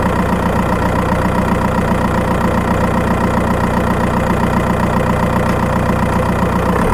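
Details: Skoda Octavia 1.9 TDI PD, microphone in battery box while driving: constant diesel drone with a fast, fairly even tick around two per second, mainly when accelerating; ticking chirp, cause unknown.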